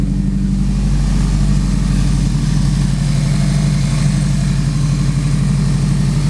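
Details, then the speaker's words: Turbo Honda S2000 AP1 with a Precision 58/58 turbo and Haltech ECU, first start after the rebuild, clutch in and out of gear: it fires on the first try into a steady, even, low idle with no knocks; running cleanly. "and it fired up get ready fire it up well the boats not in there right that sounds good"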